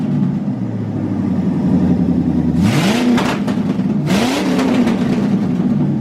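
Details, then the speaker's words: 1985 Corvette C4 V8 with Edelbrock AVS2 carburetor, after idle mixture tuning, about 23 inHg vacuum, vacuum advance distributor hooked up: even idle then two quick blips, pitch jumping cleanly and settling; very responsive, shakes the car. "And as you guys heard, once I hooked up the vacuum advanced distributor, this thing's pretty responsive. I mean, it it shakes the whole car when when you step on it,"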